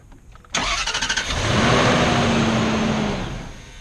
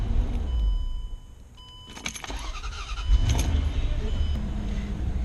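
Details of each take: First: 2006 Range Rover L322; starter cranks in quick even pulses, engine barely catches then fades, cranks over and over without starting; failed fuel pump suspected, later replaced. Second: 2006 Range Rover L322 that cranked without starting, after replacement with an aftermarket fuel pump: keys rattle, then the engine catches and settles into a steady, even low idle; it now starts and runs fine.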